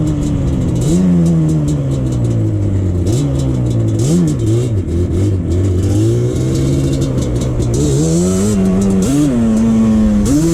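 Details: 2001 Yamaha Banshee 350 two-stroke on a POV test ride after new clamps fixed an exhaust leak: crisp howl climbing cleanly through each gear, dropping on shifts, no puffing or spitting. Healthy, pulling strongly under load.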